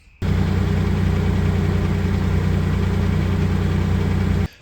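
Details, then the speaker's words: Nissan Navara with VG30 V6 at nearly 250,000 km, idling; quick light tapping about four per second over an even idle, top-end tick; sump and rocker covers inspected without finding source, lifter replacement considered, cause unconfirmed. "In this episode, we are working on the Navara again, trying to work out this tapping noise that it's making."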